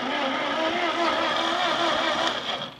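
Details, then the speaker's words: Ford 8N tractor sat 4-5 years, in neutral: steady starter whir turns the engine over a few seconds without firing; cranks but won't start, coil power check next. "we do turn over so I think what I'm going to do is I'm going to check and see if I'm getting power to the coil"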